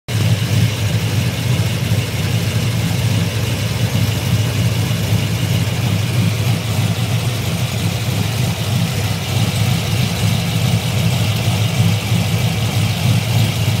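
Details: LS3 V8 with JRE 445 street cam, ARH long tubes and high-flow cats, recorded underneath near the cats: deep steady idle with faint light tick; owner suspects lifter tick but thinks it may be normal.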